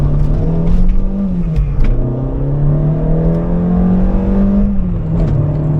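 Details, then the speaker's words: Peugeot 205 XS with a refreshed 85 hp TU3S engine accelerating on the road, with some rattling noted: the engine note climbs smoothly through the revs and drops cleanly on each shift, with no knocks. A healthy engine. "Let's unleash the 85 horsepower."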